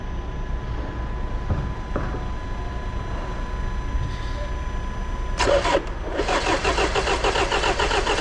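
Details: 2016/2017 Land Rover Discovery Sport 2.0D 150 PS SE, 154,060 km: starter churns the engine over with an uneven rhythm but it never fires; crank, no-start.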